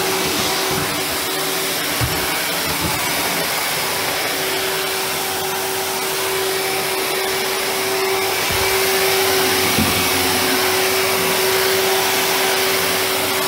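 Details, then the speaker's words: 1997 Sebo Automatic X1 upright vacuum after refurbishment, motor serviced, new brushroll and filter: steady even motor drone, clean constant tone, no rattle or surging; normal running. "so it mugged very well I did all the motor a little bit so that sounds better and it works"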